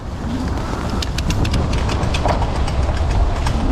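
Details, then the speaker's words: Nearly new Magnum Nomad fat-tire e-bike riding over bumps in a higher gear: sharp metallic ticks and rattles as the chain slaps the kickstand, which passes close because of the derailleur hanger position. "still sounds like we're we're hearing it a little bit so yeah see i'm in a higher gear like a smaller cog back here but because of the derailleur position the hanger the chain just goes right by the kickstand"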